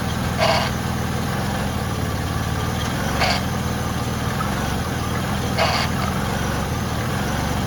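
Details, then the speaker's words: 2006 Ford Freestar 4.2L with freshly replaced power steering pump, idling while wheels are rotated and fluid topped up: even idle with only a faint high whine; normal idle, slight power steering whine. "it's going to whine a little bit when we first start it but then again that's normal for for Ford Fords like to wine"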